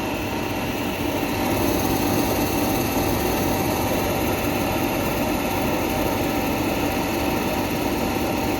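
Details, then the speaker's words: LG RC9011A1 clothes dryer motor (220 V, 60 Hz) run on the bench with door switch pressed, after its fan had melted lopsided from overheating and clogging, causing vibration; steady even hum with light whir, no knocks or wobble: normal motor run. "আমি press করলাম, দেখেন এই মোটরটা ঘুরে, এই মোটরটা ঘুরতেছে।"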